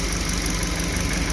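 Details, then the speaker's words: Suzuki New Carry after overheating repair, timing chain and valve clearance set, thermostat fitted: low idle with slight uneven wobbly beat, shaky only at low rpm, fine higher up; rough idle, cause unclear. "Rasanya seperti bergerak, tapi hanya pada putaran mesin rendah, bro. Jika nilainya tinggi, biasanya aman."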